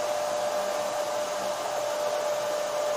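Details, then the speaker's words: FLYING BEAR LaserMan laser engraving/cutting machine running while engraving wooden handles: strong, constant rushing airflow with one steady tone, no rattle or wavering; filter/extraction fan and cabinet cooling fan running normally, no smoke in room. "Machine के चलने के दौरान आपको पंखे की हल्की आवाज भी सुनाई दे सकती है। यह ध्वनि मुख्य कैबिनेट के अंदर इलेक्ट्रॉनिक सर्किट को गर्म होने से रोकने का काम करती है ।"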